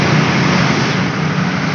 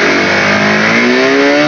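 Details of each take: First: Honda CB150R that wouldn't rev fully and had lost power: engine revs up and settles twice, rising and falling cleanly with throttle, no stumble or hang-up. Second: Honda CB150R that loses power and won't rev out at full throttle: revs climb slowly and evenly but never snap up at the top. A dirt-clogged part is removed as the suspected cause, yet the symptom stays the same.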